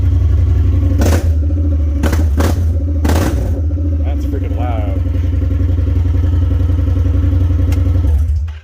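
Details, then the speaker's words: Honda Pioneer 1000 UTV with factory muffler removed for weld repair and O2 sensor out: very loud, raw, unmuffled exhaust with a deep steady throb, fully straight-piped; check engine light came on immediately. "So you want to hear it actually legitimately straight piped without any muffler at all. And no O2 sensor, so I'm not sure how well this is even going to run."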